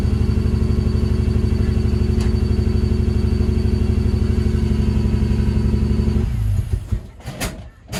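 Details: Ford Barra six-cylinder, just jump-started: fast, uneven, rough idle near 2000 rpm with a lumpy exhaust beat, not cammed, before shutdown; likely intake manifold gasket vacuum leak.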